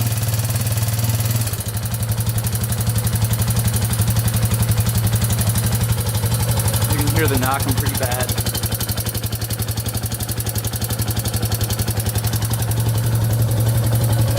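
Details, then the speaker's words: 2001 Yamaha Warrior 350 after a short ride: heavy, regular clatter at about four knocks a second over the idle, owner suspected timing chain. "all right so just took it for that little ride as you can hear it's knocking pretty bad um it does sound like it might be the timing chain i'm not 100 sure"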